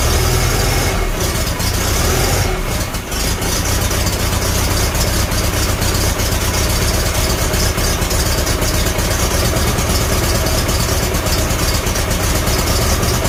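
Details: Farmall Super A tractor after the magneto was reset and timing adjusted. It has a steady, even, loping idle with a regular low beat and no misses or knocks; the old four-cylinder runs smoothly.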